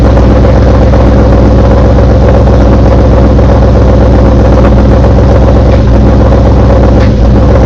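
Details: Engine just fitted with CMS stage 2 blower cams, at idle right after startup: a loud, heavy idle with a steady rapid knocking beating through the deep rumble.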